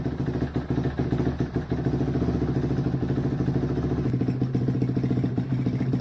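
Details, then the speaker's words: 2005 Suzuki RM-Z450 after an engine rebuild: a strong, steady thumping beat that picks up cleanly on the throttle and holds an even rhythm. The exhaust may need repacking and the head pipe is not fully tight. Normal running. "well it doesn't sound too bad she's taking gas and everything else"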